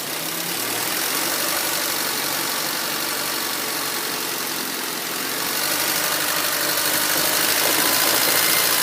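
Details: 2004 Honda Civic LX (7th gen), warm engine: low, uneven idle with a faint irregular pulse and slight speed drift; rough idle with low power, hesitation and stalling in traffic; O2 sensor suspected, IAC valve also suggested, unconfirmed.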